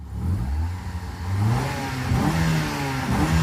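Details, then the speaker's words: 1999 Mitsubishi Eclipse soon after first start following CV axle work: idle surging and sagging about once a second between the idle and 1000 rpm marks, chugging but settling down; hunting idle, old gas suspected, not confirmed. "It's idling in between the 1K and idle mark. 1K and idle. It's fixing itself though."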